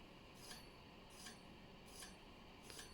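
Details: Bicycle hydraulic disc brake: a light metallic scrape once per wheel turn, about every 0.75 s, from a bent rotor rubbing one pad. The fix is bending the rotor back.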